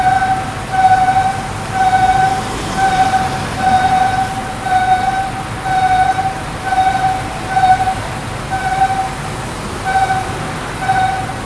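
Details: Bus (registration Utsunomiya 200 A 200): a high, cry-like whine pulsing about once a second from the rear of the bus over its running rumble.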